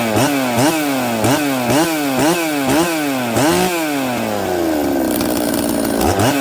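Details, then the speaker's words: Husqvarna 266XP two-stroke chainsaw with a 390 carb, day two after running outside (high jet 7/8 turn, low jet 3 turns): repeated blips climb sluggishly to high rpm then fall back, lazy off idle though it idles; carb tune off. "oh oh okay so i threw the saw outside for 10 minutes and let it idle it idled it's out there it restarted half a pole but it's lazy coming off idle"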